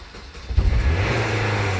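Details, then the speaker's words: Manual-transmission car with dead battery jump-started using a Tacklife T8 booster: short crank, then loud steady fast idle that quiets down shortly; normal high idle right after start. "Whoa. Noisy, isn't it? It will quiet down in a second. There you go. Quieting down."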